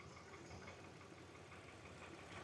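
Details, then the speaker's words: Hyundai Veracruz returned a month after coil, spark plug and one intake gasket replacement with system-too-lean code; brake cleaner sprayed at intake gasket on cylinders 1–3 side: lumpy idle with dropouts, cylinder 2 misfiring heavily, intake gasket vacuum leak. "number two is misfiring a lot here number three not so but number two it's firing a lot when I introduced this brake cleaner into the inake right there's a lot of misfire there"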